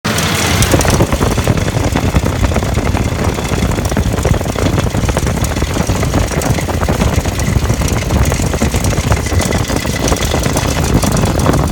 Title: 2004 F150 Engine Knock